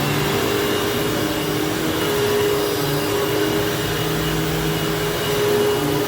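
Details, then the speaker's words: 19-year-old vacuum cleaner motor after bearing replacement and commutator polishing: smooth, steady whine with no grinding or bearing rattle; previously had bearing noise on a long wind-down. "That is way better. So before this thing actually had a long wind down and with that long wind down there was definitely some bearing noise."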